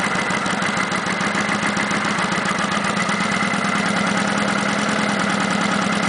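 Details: Kawasaki Vulcan 900 V-twin at idle: a fast, light ticking about three a second over the engine. Present since 1,000 miles and common to every VN900; normal and harmless.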